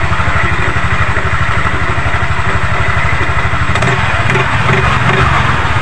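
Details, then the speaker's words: Yamaha NMAX scooter idling after replacement of the pulley, roller housing and roller fan: even low thump with no belt-drive clatter. The earlier rough clatter came from a loose V-belt caused by worn roller parts, and the belt is now tight. Normal idle. "Oke rekan-rekan, ini untuk suara geladak-geladak, kelotok-kelotoknya sudah hilang ya, sudah bersih untuk suara di mesin Yamaha NMAX ini."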